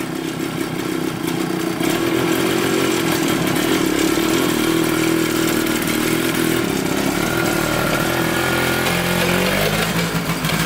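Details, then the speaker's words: 1981 Kawasaki KX420 two-stroke dirt bike ridden full speed through every gear: raw, raspy howl with uneven, ragged firing, running rough; owner suspects air leaks and mainly the exhaust pipe giving no back pressure, not confirmed. "Obviously there's some air leaks causing it to run weird. I think the pipe might be the main issue though. There's no back pressure."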